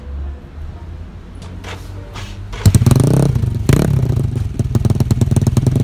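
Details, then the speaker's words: Yamaha Mio Soul carburetted scooter with DOHC head, 2 valves and 2 camshafts: fires up straight away into a loud, fast, even popping exhaust beat with throttle blips, noisy, like an Aerox; normal running. "Jadi untuk motornya sih kurang lebih suaranya emang beda ya. Iya. Kalau misalnya Mio karbu dengan motor Yamaha karbu lainnya tuh kalau di bore up ukuran 6 ke atas tuh kayak yang motor biru."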